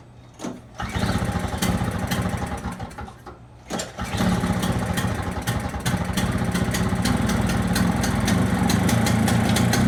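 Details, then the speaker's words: Two-stroke snowblower, non-running with flooding carburetor, started with starting fluid: two false catches then fast high buzzy idle, very smoky; starts but idles too high. "Sounds like it was idling really high. It's very, very smoky."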